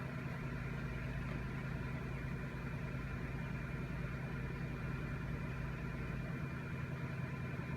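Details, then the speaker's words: 2005 Cadillac DeVille misfiring badly, likely on one or two cylinders, after a cam sensor/PCM relay reset: low idle with an uneven thump every fraction of a second, still thumping; owner later hears a vacuum leak. "let it sit for a moment we'll try it again it's still thumpin"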